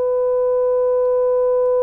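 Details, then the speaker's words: Grundig 4198 stereo tube radio, first power-up after power supply repair, 500 Hz 200 mV signal into the pickup input: clean, steady mid tone with no hum, crackle or distortion; one power amp channel works properly. "brilliant it works so we have the power amp at least one channel of the power amp's working"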